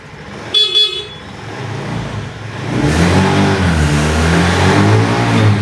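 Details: Honda Beat FI eSP scooter after repairing broken starter switch wiring: short horn toot, then the engine catches on the electric starter and settles into a steady, even idle; starter fault fixed, normal running.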